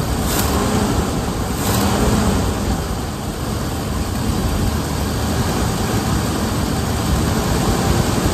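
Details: 1978 Ford Bronco Ranger XLT with the 400 V8, first start after sitting 20+ years, on a fresh battery: steady, even rumble with an unbroken idle rhythm and no knocks or misses; running healthily.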